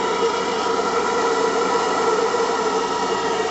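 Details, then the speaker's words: AL5 live-steam model engine after one hour break-in, about 1 bar, running both directions: steady even steam hiss with faint hum, turning smoothly; leaks under cylinders still unresolved, knocks slightly at times; normal running. "Donc vous l'entendez, elle tourne gentiment. Elle fonctionne dans les deux sens, a priori."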